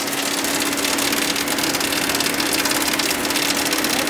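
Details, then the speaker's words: Fiat 500 with damaged, badly leaking radiator, possibly run with zero coolant: radiator cooling fan powered up gives a steady ~280 Hz hum under rough hissy rush; owner suspects leak-sealer got into the fan bearings. "that shouldn't be making that sound. Now that is basically due to whatever this sealer is has got into the bearings, I think, is what the issue is here."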